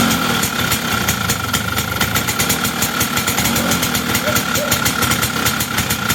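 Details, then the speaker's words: Two-stroke engine after air-leak pressure test and repair: quick, regular firing pulses with steady note, no stumbles or misfires; running properly, though owner guesses ignition timing may be way advanced. "okay pretty good first start sounds like uh my guess is timing is going to be way way advanced but uh we'll see"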